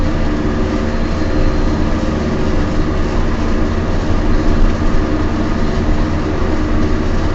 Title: Noisy bad wheel bearings in my Peugeot 206